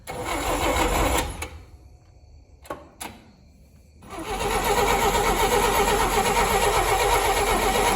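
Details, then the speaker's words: 1959 Rambler, 195 flathead inline-6, automatic, parked for years: cranking in bursts about four beats a second with quiet gaps, never catching; intermittent spark loss, coil tested good, traced to a loose positive coil feed wire. "that's weird we got any sparks still now for some reason it looks like we've lost spark now"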